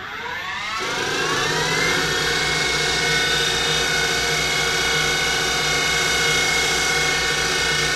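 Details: Denford Triac CNC converted to Mach 3 with a Panasonic 1.5 kW servo spindle motor: the whine climbs in pitch as the spindle speeds up, then holds steady high, and the upper bearing support gets very hot; bearing wear suspected.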